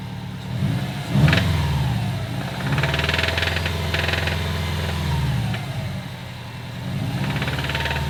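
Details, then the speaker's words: Subaru STI, previously wrecked, turbo flat-four: knocks a few times on start-up, then a rough knock-like tapping grows louder with each throttle opening. Rod knock was feared, but the cracked up-pipe heat shield is suspected; it is to be cut off. "I noticed that my up pipe heat shield was cracked all the way around, and it makes a lot of noise. So I think that's our issue, which is unfortunate because we got the whole car taken apart."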